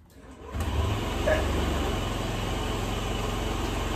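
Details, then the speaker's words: 2004 Honda Metropolitan scooter, sat four years, after carburetor clean and fuel system priming: idles basically perfectly, steady even putter with no choppiness or stumbling like before; normal idle. "now it idle is basically perfectly there's no like choppiness like there was before"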